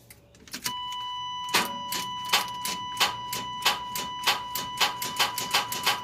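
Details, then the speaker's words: 1993 Chevrolet S10 4.3 automatic 2WD: a steady warning chime and a single click repeating about every two-thirds of a second, with no cranking; the starter has failed. "yep starter went bad that's all i get"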